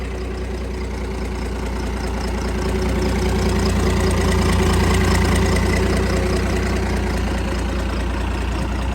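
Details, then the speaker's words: Cummins diesel burnout truck, thought blown up, just restarted: even steady idle clatter, no missed beats, knock or tapping, little exhaust kick said normal; front seal suspected leaking, oil low; normal idle. "not a noise at all that's that's normal that's common on these that's just the exhaust he's got a little exhaust kick like a sewing machine"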